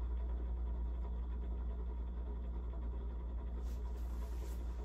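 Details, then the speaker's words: Casablanca Broadway Limited Inteli-Touch ceiling fan, built June 1985, original RMM1 Inteli-Touch system, running at speed five: steady low hum with dry, uneven rumble underneath; worn motor bearing noise, likely needing bearing replacement. "go to speed five the bearing seem better days I don't think this bearing noise is going away"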